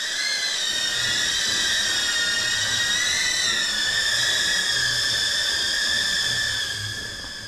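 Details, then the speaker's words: Newbeedrone Acrobee75 with a DJI O3 unit, flying in air mode on the stock factory tune: shrill high-pitched screaming that wavers up and down through the flight while the quad shakes. The motor oscillation comes from the poor default tune. "Jadi ini adalah default pabrikan. Dia bergetar. Dan teman-teman dengerin suaranya menjerit guys."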